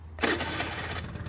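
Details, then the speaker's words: Honda Lead 50 scooter, five years old, cold engine (cold muffler), electric-starter start with brake held, compression checked and spark plug replaced: brief starter whirr, then catches almost instantly into an even, steady idle; normal healthy cold start. "вот именно так не как больше должен заводиться только поршневая сработала он должен завестись"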